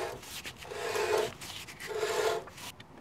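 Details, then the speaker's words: 2007 Mercedes ML350 4Matic rear wheel turned by hand with the wheel off: slow rasping scrape in two passes from the rusted inside of the drum rubbing the parking brake shoes, not the wheel bearing. "he sound of a wheel bearing it's the sound of the rusted inside of the drum rubbing against the brake shoes at least it was on the other side and I believe it's the same over here"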